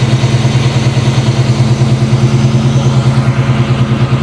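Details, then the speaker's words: 1994 Chevy C1500 with a carbureted 383 V8, just started for the first time since purchase, at cold idle with oil pressure at about 6–7 psi: a deep, steady, even lope with no knocks or ticks; runs like a top. "This thing runs like a top, man."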